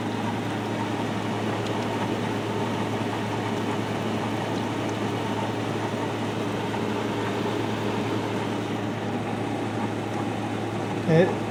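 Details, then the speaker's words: 2020 GE 5,000 BTU window AC, set high max cool, at startup: steady low hum under even fan rush with faint irregular gurgle as refrigerant first circulates; normal for this unit. "And as you'll hear, the refrigerant is quite loud on it when it first starts circulating."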